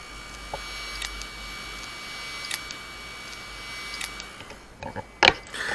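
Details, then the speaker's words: Very old Hitachi Deskstar hard drive, previously opened, spinning up slowly with a whine, then sharp clicks about every 1.5 seconds and not detected; failed read/write heads, drive unrepairable. "явный отвал головы головки на них вы нигде не найдете поэтому такие жесткие диски можно просто-напросто выкидывать"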